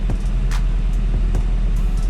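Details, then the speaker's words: Seat Leon FR 2.0 TFSI idling unevenly, low rumble stumbling about every half second; misfire moved from cylinder two to three after swapping injectors, so the faulty injector is the cause; coil and plugs already replaced. "sprawdzimy tutaj jest wypadanie zapłonu czego nie ma cylinder 3 czyli znaleźliśmy przyczynę przyczyną jest wtrysk"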